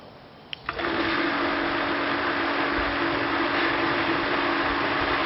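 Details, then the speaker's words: Pressure pump starting after a Bluetooth-controlled EcoSAT solenoid valve opens: a click in the control box, then a steady even hum over rushing water as line pressure drops and water flows back into the tank; normal operation. "now you can hear it's running. So the pressure in the line has dropped, and the pressure pump is flowing water."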